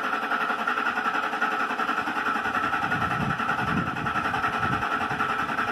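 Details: 2006 Lincoln Mark LT, nearly new engine, cold weather: starter spins the engine at a steady whirring beat, two or three turns a second, but it never fires; bad fuel pump suspected.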